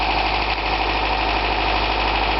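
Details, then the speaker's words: 1982 Toyota pickup with a 22R engine and original dual-row timing chain, idling: only a light, even valve tap, and the earlier rattle is gone. Owner found it was not the timing chain; after removing belts one at a time, the water pump is suspected. "as you can hear the noise is gone"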